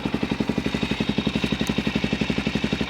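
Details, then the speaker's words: Suzuki DR-Z400SM with a Yoshimura exhaust just shortened by cutting and angle-grinder filing, at idle: sharp, evenly spaced barks about ten a second, loud and open through the shortened muffler, far louder than expected after the modification. "so I'm gonna go ahead and test on it that's actually way louder than I thought it would be"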